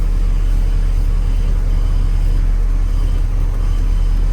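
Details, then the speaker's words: 2008 car with a Fire 1.4 engine, running at idle after the power steering box was installed and the pivot replaced. There was contaminated fluid and box play, and it had made a loud creak like an old door. Now a steady idle with no whine or groan, and steering is light; normal power steering. "Agora vamos ligar o carro. Nenhum barulho. Resolveu 100%. Direção leve, macia."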